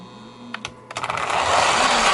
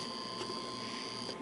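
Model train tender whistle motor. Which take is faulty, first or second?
second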